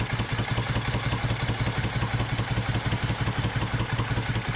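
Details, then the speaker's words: 1971 Moto Guzzi Ambassador, under full restoration with new rings and changed crank, first fire-up: uneven, lumpy idle with irregular stumbling pulses that won't settle; tight new motor, probably needs rejetting; rough idle. "Yeah, it's a tight motor. It is new rings, everything's tight, so we're just trying to see if we can get her to idle here. And we probably got to rejet it."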